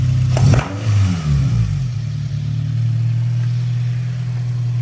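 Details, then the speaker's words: Car being blipped while checked from underneath: sharp metallic clank on each rev, then back to a low steady idle; rattle thought to come from the turbo area or under the manifold, not confirmed. "okay I think it's coming from the turbo area"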